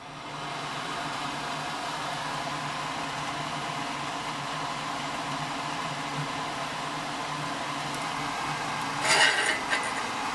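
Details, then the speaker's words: Homemade blower-driven waste oil heater with brake drum body, blower on full speed, oil oozing rather than dripping: steady even torch-like furnace roar with no crackling or popping; burner running clean. "I don't get that at all. It sounds like a furnace running, just a sound of a torch basically."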